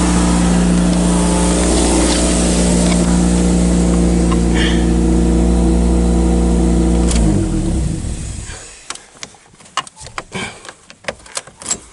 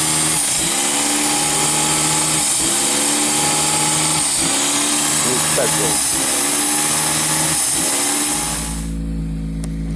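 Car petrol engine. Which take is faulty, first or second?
second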